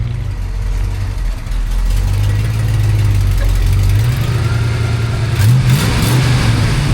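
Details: 1963 Chevrolet C-10 with 283 V8, automatic, dual exhaust, idling after a drive; deep rumble with an uneven puffing tick on one side from an exhaust leak.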